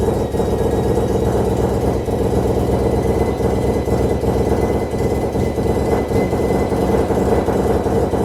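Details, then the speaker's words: Mazda FD RX7 bridgeport rotary, Hypergear T51R single turbo conversion, first start: very loud, rough rotary idle with raw hissing blat over exhaust note; massive exhaust leak at turbo exhaust housing, V-band clamp not seated properly. "So first of all, I'm going to quickly just take off the exhaust housing, because as you guys can see, we had a massive exhaust leak. That V-band is not sitting properly when I put it back on, so I'm going to just go over that, make sure that V-band is sitting properly, and then also let's check over the turbo."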